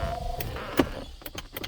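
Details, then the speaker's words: Jaguar XJ6 Series 3 bought as parts car, ignition on, no fuel pump heard; power window test: front window motor gives brief steady hum then clicks and stops, rear windows not working; front window operates normally. "That rear is not going. Front's going."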